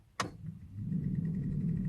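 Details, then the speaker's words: 1997 Opel Vectra B interior ventilation: a switch click, then rising blower hum with light ticking, from debris (a leaf) caught in the blower fan. "liga faz um barulhinho não tivesse alguma coisa pegando na ventoinha"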